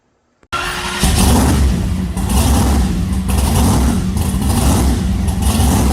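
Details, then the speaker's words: Rebuilt supercharged alcohol big-block Chevy in a truck running on a chassis dyno after teardown and rebuild: lights off and runs loud and lumpy, with a deep rumble and blower whine. Normal, healthy race-engine running. "so I'll insert a clip of this motor on the dyno at Steve Morris's on the chassis Dyno in the truck so that way you guys can hear what this thing sounds like"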